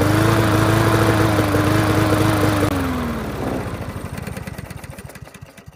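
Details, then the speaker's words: Yard Machines MTD push mower, air box off; uneven running beat sagging in pitch and stumbling to a stop; misfire from loose rattling spark plug wire barely making contact, intermittent spark; reseating wire fixed it. "so looking at the spark plug since we never had to check it it's like this is barely making any contact if it is"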